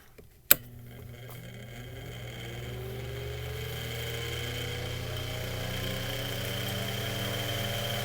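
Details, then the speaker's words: Mainstays 9-inch high velocity fan just after lubrication and blade balancing; a switch click, then the motor spins up smoothly to a steady hum with clean rising tones, no scraping or rattle, on high; healthy. "so we're going to go ahead and go to medium here it's got a very distinct sound to it too"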